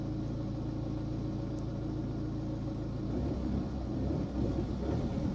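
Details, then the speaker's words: 2011 BMW 1 Series E87 LCI diesel with air mass and glow-plug fault codes, idling: steady for about three seconds, then falters and cuts out, restarting straight away; engine stalling at idle, owner suspects a sticking or dirty EGR valve. "Oh, there we go, look. Ah, it's cut out. It's cut out. We have got the issue. Now for me, that sounds like the EGR, or it felt like the EGR valve, and then we go for a restart and it fires straight back up again."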